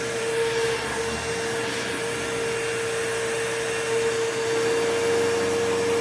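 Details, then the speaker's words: Curb-find old Bissell PowerForce Bagless 6594 upright vacuum, first switch-on before refurbishing; steady even high whine, smooth airflow, no rattle or grinding, bearings okay, fan balanced: old motor, not like new but passable. "Okay, so motor's not, it doesn't sound brand new or anything, but for a old bagless Bissell motor, that is perfectly passable."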